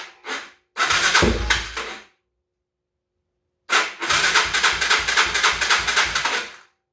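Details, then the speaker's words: 2011 Yamaha Raptor 250 ATV, not running, non-matching new battery charged overnight, oil refilled: engine churns slowly, about four pulses a second in bursts with harsh grinding edge, cranking too slow to fire; slow cranking with grinding noise. "I ended, but it just doesn't sound like it's turning fast enough. So that's where we are. I'm still trying to get this thing running."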